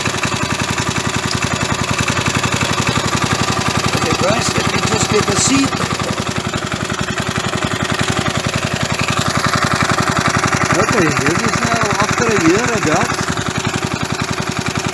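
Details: 37-year-old Briggs & Stratton lawnmower engine starting after about 37 years of sitting. It was a hard starter and needed carburetor cleaner. Now a steady, even single-cylinder putter at slow idle with no misses or knocks: normal running.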